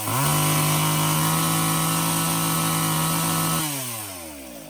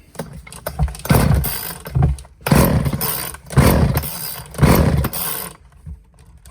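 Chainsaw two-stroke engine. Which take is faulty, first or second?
second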